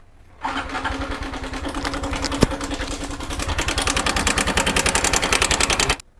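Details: 2021 Honda Wave at about 12,000 km, third visit for noise: idles with fast tinny rattle three or four times a second; slack cam chain from weak tensioner, owner doubts cam bearing this time.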